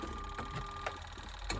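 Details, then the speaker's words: Good Ideas XPB20-88S twin tub spin side: faint steady hum with no drum speed build-up; motor is on but the drum is held, owner suspects the capacitor or a seizure. "sounds like the motor is on but the capacitor is not not working so it won't go and I can't get into it"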